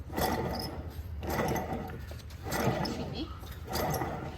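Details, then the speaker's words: Alternator removed from a 1979 Chevrolet Camaro, spun by hand off the car, makes rough gritty whirring bursts about once a second and squeaks, pointing to a bad bearing; to be bench-tested. "Why is it squeaking? Sounds like it's got a bad bearing for sure."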